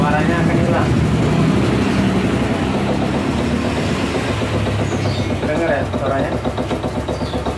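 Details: 2010 Yamaha Vega ZR idling with a rapid rough chatter about four per second that disappears with slight throttle; stalls when put in gear and creeps; centrifugal clutch suspected, not confirmed.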